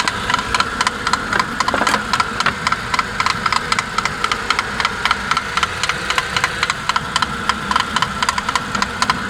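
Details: Suzuki J20A 2.0, 2008, 87,000 km, cold start: hard, quick metallic knocking about four per second at idle, lasts 3–5 min, absent when preheated; suspected spun crank bearings or piston slap, unconfirmed.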